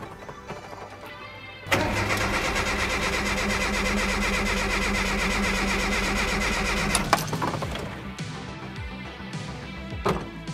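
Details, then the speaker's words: Mazda B2200 turbo build on a Megasquirt standalone ECU, first start attempt: ignition unplugged and injector fuse pulled, cranked to check crank and cam sensor signals. An even starter churn for about five seconds, no catch, as expected. "now I'm going to crank the engine a few time and we should be getting a reading across the board right here that tells us that the sensor is working"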